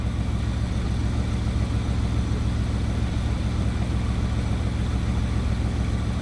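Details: Bugatti Veyron, warm, being checked for a random misfire after swapping components between sides: even, steady low rumble at idle with no stumbles or skips and no fault codes; normal idle.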